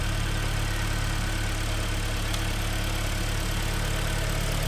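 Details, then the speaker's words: 2010 Hyundai ix35 (G4KD engine, FWD, manual, about 350,000 km) at idle after engine repair for cylinder scoring and spun bearings. Steady, even idle with deep droning exhaust (catalytic converter cut out) and no knocking. Runs much better than before. "ну работает вроде неплохо значительно лучше чем было да"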